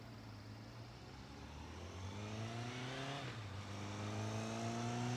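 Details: Newly restored 1983 Kawasaki KZ750 Spectre four-cylinder, after carburetor work, approaching on a ride-by: smooth note building with pitch rising cleanly; even and healthy, no misfire.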